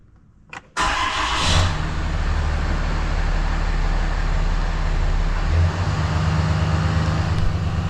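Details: 2018 Ram 2500 Mega Cab diesel after oil and fuel filter change, fuel filter primed by cycling the key several times: short crank, catches at once, steady even idle with no stumble; normal start.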